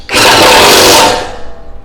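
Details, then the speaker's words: Impact wrench tightening a nut while servicing a T-shirt heat press machine's thermocouple/temperature control: loud rattling burst of rapid hammering about a second, then cut off; the "trek" sound means the bolt is tight. "Bunyinya trek itu berarti udah ya. Kalau saya dulu kerja di pabrik tuh pokoknya alatnya kalau punya tek 3 kali itu udah cukup."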